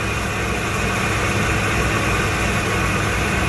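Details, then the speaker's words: 1994 Ford E-350, about 120k miles, after reinstalling the milled exhaust manifold to fix an exhaust leak and replacing old spark plugs: smooth, steady idle with even rumble, no ticking or puffing; leak sealed, normal idle. "wow sounds like it is sealed up running very smoothly too i guess those old spark plugs were done"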